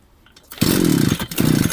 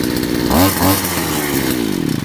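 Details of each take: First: Two-stroke trimmer (brush cutter) refilled after running out of fuel and pulled on closed choke to flood it on purpose: it catches briefly at high revs, then sputters out. The choke should have been opened, and it now won't start. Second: Grass trimmer (brush cutter) before the flooding demo, started first pull and revving crisply into a steady, clean buzz with no misfire or stumble; normal running.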